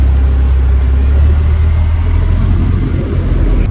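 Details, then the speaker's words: 2002 Mercedes-Benz C32 AMG, supercharger making no boost with intermittent knock and high-pitched bearing sound; restarted, it now idles steady, deep and even with no knock, whine or miss. "Sounding fine now."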